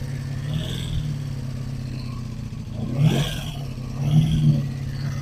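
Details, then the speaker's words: 1985 Honda Magna V30 V4 motorcycle after carburetor rebuild and tank, ignition bypass, radiator work: uneven, lumpy revving with irregular clatter and stumbling beat when blipped; owner hears valve chatter, worse than before work. "It sounds way worse than it did the first time I started it before I worked on it. Right now I'm just I'm trying to figure out what the heck happened?"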